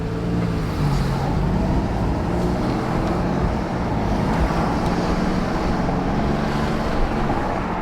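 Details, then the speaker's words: Alfa Romeo Giulia Quadrifoglio with Supersprint catted downpipes and TFL X-pipe, Dynamic mode, exhaust valves closed, cruising: low muted drone under road noise, no ticking or blowing leak; quiet, healthy. "this is super sprint catalyst downpipes tfl x-pipe and dynamic mode with the valves closed on a squadra massimo and this is just an example of how quiet it can be"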